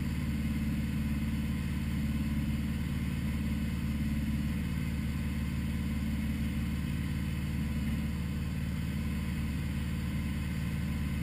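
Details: 1980 Honda Goldwing GL1100, first start after a carburetor rebuild for running too rich, with new idle screws at 1-1/4 turns and floats set to 15.5 mm: low, even burble with no misses; smooth, healthy idle.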